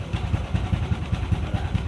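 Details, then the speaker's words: Yamaha Aerox 155 with an overheating problem, cooling system bypassed and coolant circulation checked, idling with a 63 bore setup; steady, even low putter with regular firing pulses and no knocks or rattles, clean healthy idle. "At least sumandar na. Yan yung tunog ng 63."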